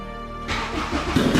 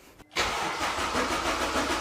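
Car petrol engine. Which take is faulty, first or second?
second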